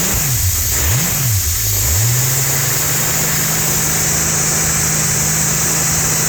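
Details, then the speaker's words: Holden 202 red six test-bed engine with rebuilt early Mk1 TBI throttle body, started after priming: a couple of quick revs rise and fall cleanly, then a smooth, steady idle with no misses or hunting; idling and running beautifully. "Well, that's idling beautifully and running beautifully."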